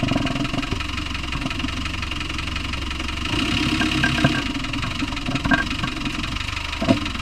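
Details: Land Rover Discovery 1 with 300Tdi diesel at idle: regular knock tapping in time with engine speed; source not yet identified.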